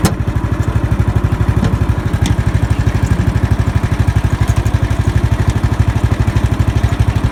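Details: Murray riding lawn mower just started after replacing a faulty starter solenoid with a universal solenoid: single-cylinder thumps at a steady even beat, roughly three per second, no misses; idling normally.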